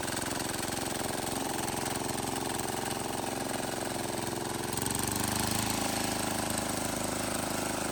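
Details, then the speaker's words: Wheel Horse 314H tractor with a swapped cheap Chinese diesel on its first test drive: even, steady clatter that firms up under load. Running fine. "well I don't know about you guys but I'd call that test drive a success"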